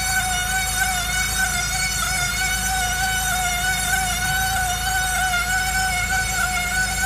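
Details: 2002 Saab 9-5 Aero with engine running: a steady high-pitched squeal from the right front corner rides over the engine noise throughout; cause unknown.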